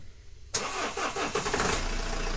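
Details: 2010 Renault Megane 1.9 dCi diesel with crank-no-start and code P0090, fuel pressure solenoid valve buzzing, faulted to a bad wire: short crank, then it catches cleanly and settles into a steady, even idle with no misfire.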